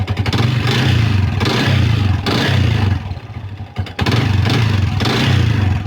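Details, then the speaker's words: Old Yamaha Vixion single revving after a connecting rod replacement: a rough, uneven clatter over each rise in revs from the block, put down to a worn piston and cylinder from infrequent oil changes. "bisa dilihat ya bagian bloknya ini bunyi kasar karena kemarin tuh ada reaksi Ya itu abis ganti stang seher"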